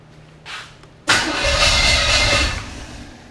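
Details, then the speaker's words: Chevy 5.7 SBC in a 1980 Camaro, first start, with the distributor being advanced further. A short crank, then a rough, brief roar fades within two seconds; it tries to fire but won't keep running. "just needs more advanced so if I can get it stay right there somehow for right now"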